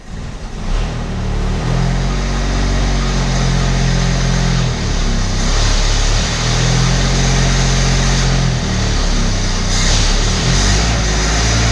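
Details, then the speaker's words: Abandoned Australian Ford Falcon ute six-cylinder after stale fuel flush, idling roughly with uneven stumbling beat, sounding better at the rear; suspected lean misfire from a dirty carburettor idle circuit, not a sticking valve. "I don't think that's sticking a valve. I actually think it's lean misfire."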